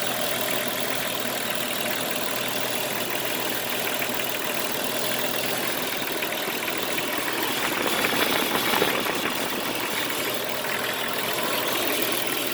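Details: Jeep Cherokee XJ at idle: steady idle with busy tinny rattle and constant hiss; owner also reports scraping metal noise near power steering pump; rattle/knock source unclear.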